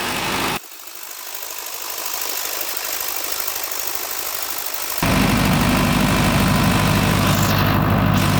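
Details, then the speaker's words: Newly installed 50 kW canopy-type generator just started during commissioning: steady diesel beat, even low rumble picking up and holding firm after a couple of seconds; runs healthy and smooth. "KBr generator চালু করলাম, installation করলাম নতুন করে।"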